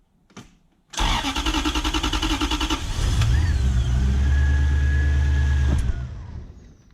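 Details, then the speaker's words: BMW E36 coupe with a swapped Gen2 Toyota 1UZ-FE V8 (standard igniters, airflow meter fitted): a long crank catches into a lumpy, uneven run with sharp pops through the intake. It was worse the day before, and the ECU is to be examined. "can stop and then sometimes it feels like the time is out so and it's popping back through the intake he was doing it much much worse yesterday"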